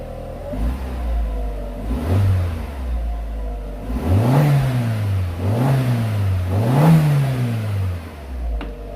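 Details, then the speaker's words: 2002 VW Golf GTI 1.8 turbo, 124,000 miles: start-up with even idle then three clean rising-and-falling rev blips, no knocks or rattles; sounds very healthy for a 1.8T. "That sounds very healthy to me. I've had a lot of unhealthy 1.8 turbo Golfs in the past, so I'm very happy with that."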